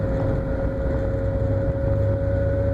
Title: 2013 Nissan Sentra making strange noise.